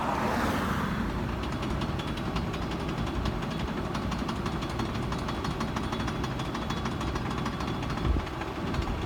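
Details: Ford Expedition rolling at slow speed: quick, steady metallic clicking over road and vehicle noise from worn driveshaft U-joints, typically heard at slower speeds.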